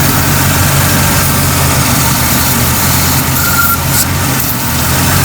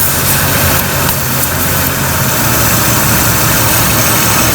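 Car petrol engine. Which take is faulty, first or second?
second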